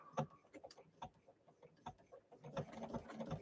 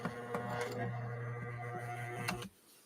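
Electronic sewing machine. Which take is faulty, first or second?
second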